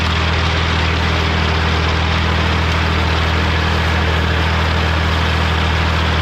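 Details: Morra F25-6 disc mower on a tractor, test run after repair (it had a pod bearing failure the year before and is down again). Steady tractor drone with the discs spinning evenly and no knocking or metal contact; running normally.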